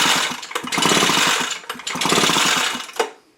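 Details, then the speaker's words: Echo leaf blower with a failed ignition coil, tested with a spark light: repeated rasping pull-starter strokes, engine never fires or catches; no spark at all, coil to be replaced. "See, there is no spark at all."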